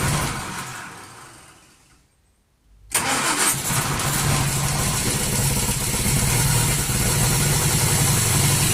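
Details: 1939 Hillman after two days of failed starting, carburettor hand-primed, full choke, ignition on, pull-started by hand: catches after a short pause and settles into a steady, even idle with no misses.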